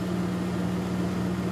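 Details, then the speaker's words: 2001 Dodge Dakota 4.7L V8, 130,638 miles, after cleaning the idle air control valve: steady smooth idle, AC off, running a bit higher than the normal 600–700 rpm; previously it would run and die. "a bit high than normal normally be around 700 or 600 for idling but this thing has to be cleaned up okay"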